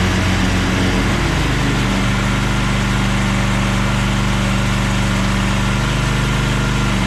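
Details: Craftsman push lawn mower, started with choke after a split part was replaced: the small single-cylinder engine settles into a steady, even drone, running smoothly.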